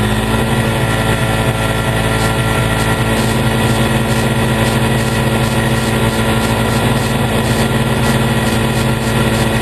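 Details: 2003 Polaris Ranger 4x4 500 after replacing leaking cam chain tensioner seal and gasket with RTV: steady, even idle with smooth unbroken beat, no misses or knocks; idled about 10 minutes, no leaking or spraying.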